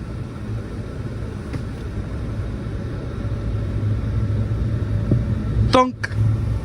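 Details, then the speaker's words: 2003 Ford Taurus, engine running, AC on, heater blowing cold despite good heater core and normal engine temperature: a single dull thunk from behind the dash; failing heater blend door actuator that can't mix hot air. "so that is the blend actuator and so it can't take the hot air and and have it switch from the cold air to the hot air it can't mix it"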